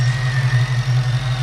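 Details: Ford Mustang Cobra V8 with a non-intercooled Kenne Bell supercharger, being injector-tuned, closed-loop fueling active: deep, steady idle with an even low rumble, no misfire or hunting; normal idle.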